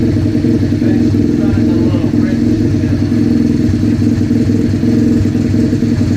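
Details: Rebuilt 125cc project bike, started with a drill: steady, even single-cylinder idle with a firm low thump, no misses or knocks; running cleanly.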